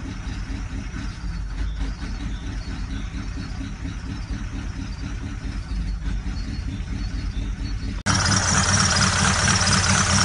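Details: Ford Galaxy idling: steady clacking knock about twice a second over the running noise; knocking at idle, source not pinned down.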